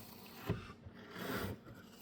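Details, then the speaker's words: Failed gas strut leaking oil, with a short rasping, swishing scrape as it is worked. Fluid can be heard moving inside, which is abnormal for a gas strut, and its action is poor and squeaky. "you can hear the fluid moving inside which is not normal for a gas"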